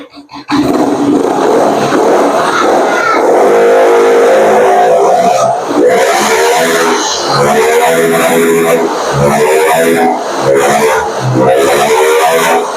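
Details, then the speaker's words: Yamaha NMAX scooter that hesitated and lacked power from low to mid rpm, after fixing dirty, clogged injector; engine picks up cleanly on each throttle blip and holds high revs without stutter; normal revving. "ini kita akan coba gas ini kalau untuk digas sih teman-teman udah enak ya tidak berebet lagi ya kita akan coba gas ya"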